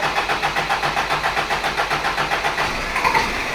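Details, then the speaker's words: Toyota Hilux with what owner believes is the bad ignition points condenser still fitted: engine lopes unevenly about ninety surges a minute, stumbling and near stalling; first suspected blocked carburetor, weak spark later fixed by replacing condenser. "so we've seen how this running it's running like a beggar dog won't run at all really does sound to me like my first thoughts were blocked carburetor"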